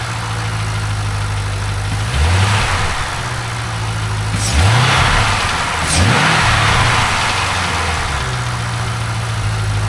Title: LS7 Ticking Sound